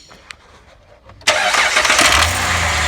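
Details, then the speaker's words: 2010 Jeep Liberty 3.7 after replacing a bad cheap timing chain tensioner that caused rattling: run with covers off, it fires abruptly and settles into an even run with no chain rattle. "this definitely was the problem folks bad tensioner it happens you know"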